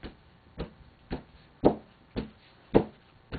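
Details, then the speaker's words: Exhauster bellows cloth without cardboard stiffeners snapping taut when pulled rapidly: sharp hollow pops about every half second from fast air movement; stiffeners prevent the cloth forming a straight surface and popping. "can hear that popping sound and that that popping sound of course is it's the air um it's the movement of the air very very rapidly"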